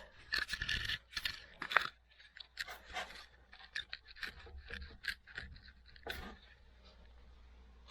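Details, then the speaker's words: 2011-14 GMC 2500HD jacked up with the front wheel off, bare hub rocked by hand giving irregular metallic clunks and knocks from a bad front wheel bearing. "Yeah, I don't know if you can see it moving, but you can definitely hear the clunking noise that it's making."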